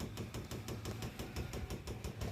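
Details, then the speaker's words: RO water purifier: fast, steady kat-kat clicking about six times a second over a low pump hum, loudest at the solenoid valve; the pump and valve keep cycling on and off, cause unconfirmed, solenoid valve to be disconnected to test. "दोस्तों आपके सामने जो water दिख रहा है इस water का आवाज देखिए किस तरह से आ रहा है cut cut cut cut cut cut जैसी आवाज आ रही है"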